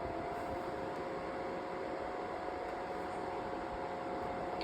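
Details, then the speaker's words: Cascade 40-inch oscillating tower fan, thrift-store find, on full power: loud steady airy rush with a faint tone, speed surging up and down; owner suspects a capacitor issue. "It does It's still doing the same exact like thing where it speeds up and slows down."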